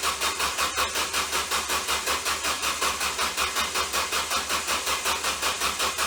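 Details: Ford Focus with a bad, shorted, burning-up starter: slow, laboured cranking pulsing about three times a second, steady and never catching.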